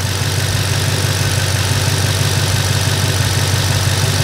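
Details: Porsche Panamera V engine after combustion chamber cleaning and new spark plugs and coils, following misfires caused by engine oil overfill: a smooth, steady idle with no misfire stumble or hissing.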